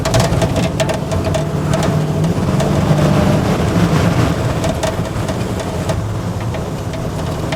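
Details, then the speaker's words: 1968 Chevy with LS swap, being tuned: deep lumpy big-cam V8 idle, lope steady and even with no knocks or misses, after the vacuum leak was traced to a disconnected transmission modulator; engine running fine. "man thing sounds good well I found the vacuum leak uh the modulator was uh disconnected so it'll probably shift now"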